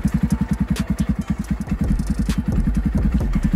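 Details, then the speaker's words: Yamaha Raptor 250 quad, started on key and button: even single-cylinder thumping, about nine pulses a second, settling into a steady idle; starts and runs cleanly; new aftermarket starter reportedly weak cranking with choke on. "Starts right up, no problem. Key on, start button, boom."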